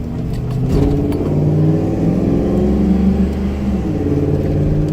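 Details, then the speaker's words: Police Interceptor Crown Victoria V8 driven 45 miles at night with missing transmission fluid, pulling away from a stop with a deep, uneven rough drone; engine misfire under acceleration, also making some knocking sounds. "this thing really does run like [ __ ] but yeah it's about 12:30 in the morning so we're just gonna cruise right on up there"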